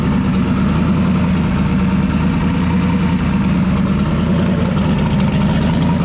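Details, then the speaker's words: Turbocharged drag car at idle after fixing turbo oil feed: steady, even idle with a deep smooth burble and no longer any of the previous squeaking noise; engine running healthy. "Okay, hopefully you can hear me, but I started it up. It sounds pretty good right now. So I don't hear the dreaded squeaking noise, but I'll take the camera in there so you can check it out."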